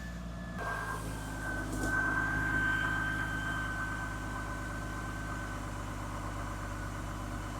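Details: Toyota Supra MK3 first start after reassembly, with fuel pressure confirmed and the EFI fuse in: catches after a short crank and settles into a smooth, even idle with a faint steady whistle; sounds healthy, no leaks seen.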